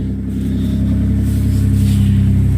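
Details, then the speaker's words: Toyota 4Runner after new ignition coils cured P0300 misfire; dropping into gear again, smooth even rev with steady firing, no stumble or skipped beats; pulling cleanly without misfire. "dropping gear one more time oh I love it nice and smooth"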